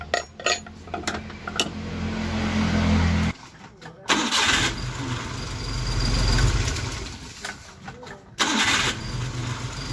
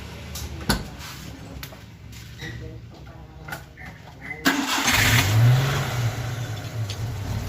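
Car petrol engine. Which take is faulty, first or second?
second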